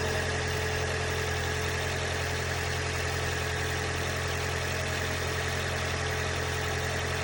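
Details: 2012 Lexus CT 200h on starting: idling petrol engine with a loud constant metallic rattle over its low drone.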